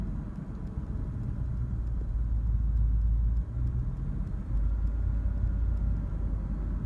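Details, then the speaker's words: 2004 Dodge Durango 5.7L Hemi V8 idles rough, lurching and dipping, starting after about three minutes in park; fine in Drive, back in park it nearly stalls. "it's only a park put it in Drive it's fine they're back in park does it a stall but it's definitely a rough"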